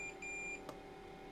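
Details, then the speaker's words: Diesel heater installed in a shed and fed from a 5-gallon tank, first start without priming mode: a few sharp high-pitched beeps over a low fan hum, the out-of-diesel error alert as no fuel reaches the pump. "So, right now it is beeping an air message that says out of diesel."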